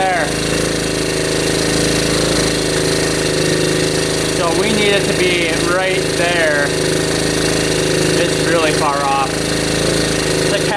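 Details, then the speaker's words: 1972 Honda CT70 with bogging problem, timing checked against F mark: harsh rattly uneven buzz, flat and strained, never settling; ignition firing really late, retarded timing, points gap to be adjusted. "So it is firing really really late."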